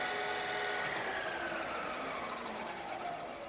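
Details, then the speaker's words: Manual lathe grooving cut on a threaded shaft rings with a wavering, singing chatter over the hiss of the cut because the setup lacks rigidity; slowing the speed is suggested to stop it. "and you can hear that it's chattering a little bit this setup like i said is not very rigid so we may have to slow this down right just to keep it from chattering"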